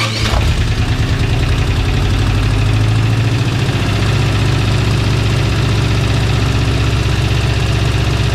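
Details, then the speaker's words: Old petrol engine fires up and settles into a mostly smooth, steady idle with a deep even rumble and one little kick; earlier missing, a vacuum leak from a missing plug was found, and water may be seeping from a hose. "are pretty good I hear one little kick but it any fast"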